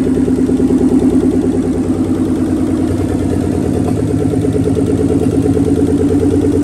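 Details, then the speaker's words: Nissan 300ZX Z32 twin turbo, first start in a long time, no exhaust, no coolant: a loud open-pipe idle at about three pulses a second with a stumble that comes and goes. Intermittent misfire, cause unconfirmed; the plugs are old except one. "It would like idle normal and then a little miss and then idle normal again, a little miss."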